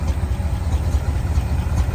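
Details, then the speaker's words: International Loadstar crew cab V8, parked 30 years, just started after carburetor work: deep lumpy idle with uneven beat that never settles, some blow-by, not shaking badly; rough idle. "say here an idle it's idland little blow by just let it sit here and idle for a little bit not get too wild"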